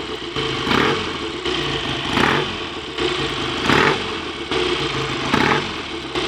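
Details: Freshly rebuilt BSA A65 Lightning twin with a replacement crank, ignition timing not yet checked, strong oil return: even tick-over between short throttle blips with crisp pickup and clean return to idle; better than before the rebuild; normal idle.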